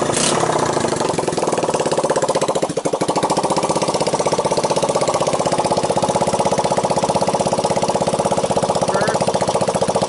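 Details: 1985 Honda ATC 200X junkyard three-wheeler after a cold start on starting fluid, camera on the tire. Crisp, even single-cylinder putt at about four beats a second with no ticking, chain rattle or knock. Normal idle.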